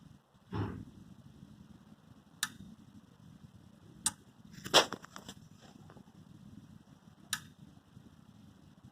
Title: Cooler Master V650 ruido constante luego del apagado (Constant clicking Sound after shut down)